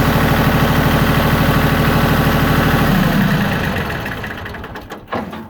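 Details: Yanmar YM1820D compact 4x4 tractor, three-cylinder 23 hp diesel: even idle clatter about three beats a second, no smoke or misfire, then smooth shutdown; normal idle.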